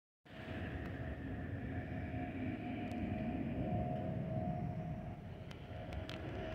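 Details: Delta Airbus A319-114 N318NB, flight DL2427 DFW-DTW, in-cabin: steady mid-pitch whistle over the cabin roar; the normal fuel over-pressure protector (FOPP) whistle of this type.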